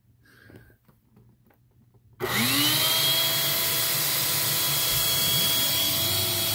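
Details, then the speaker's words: Eureka 402 Superlite small vacuum rated 2 amps, unit with the good filter, during the nozzle airflow test: the motor spins up in a second to a steady high whine and holds even; normal running. "you know for a machine this size that's not bad"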